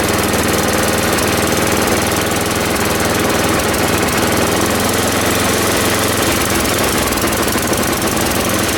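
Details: Ariens 824 snow blower, Tecumseh HMSK80 engine, after carburetor repair (jets cleaned, float bowl and gasket replaced; owner believes an air leak at the old gasket caused surging): low, even idle, steady putter, no surging.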